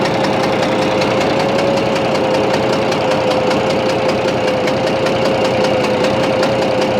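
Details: Bizon A-01 diesel at idle: fast, fairly even knock and chuff with a thin whistle on top; noise reacts to loosening the No. 3 high-pressure injector line, owner suspects cylinder head or third injector, cause unconfirmed.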